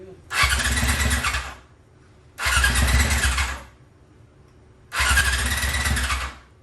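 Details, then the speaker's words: 2001 Yamaha YZF R6 after carb rebuild, cold, first start in 3 years: three one-second cranking bursts, starter spins evenly but never fires; owner suspects old gas. "So after I tried to start it, and realized it wasn't going to start, even though the vacuum lines weren't hooked up initially, it still wasn't starting."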